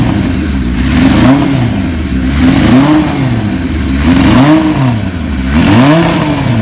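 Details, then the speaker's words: 1977 Kawasaki KZ1000A, once converted to LTD style, unrun for years: first start after cleaning the points to cure no spark. Four-cylinder fires and revs freely in clean throttle blips while dust and debris burn off the engine; running normally. "as you can see you got a bunch of debris and dust coming off the motor and everything it stinks it's probably been years since it's been run"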